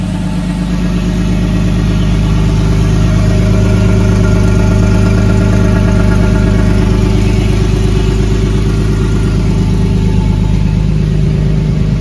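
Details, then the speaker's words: Big-turbo Nissan R32 Skyline on third start, first successful one, running an owner-adjusted basemap, no boost, warming up: idle fairly okay, free revs hesitate and stumble, then sound nice with many pops and bangs; definitely untuned, needs proper tuning. "obviously uh idle's pretty okay revs with a hesitation but once it's up there it sounds nice a lot of pops and bangs it's definitely not tuned"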